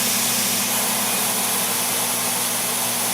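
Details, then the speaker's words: ApolloSpray digital turbine sprayer, trigger pulled 2–3 seconds after Power Pause, returning to its preset pressure. A steady, high, airy whine holds an even pitch without surging or wavering; normal turbine running. "okay so now I need to wait a second or two and now I pull the trigger and it comes right back up to speed"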